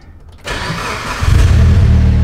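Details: Blue Evo 8 with Chag-tuned rebuilt engine, first cold start after multi-day build: short crank, fires cleanly and settles into steady strong cold idle without stumbling; air-fuel reading spot on at 14.6, healthy.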